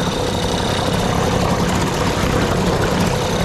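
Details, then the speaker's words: Free small outboard, forward-only with no neutral, after tightening bolts to stop water leak, now pumping water better: steady even buzzing drone, no misses, knocks or surging; running pretty good though owner wants another powerhead. "yeah for a free motor I think this is running pretty good"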